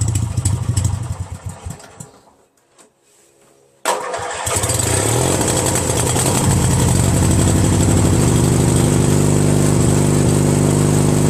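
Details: Craftsman DYT4000 tractor, 14hp Briggs opposed twin repower, electric PTO test with deck belt removed: cranks, catches quickly, settles into steady even twin-cylinder run, no knocks or slipping; normal, belt tension suspected of stopping PTO engagement.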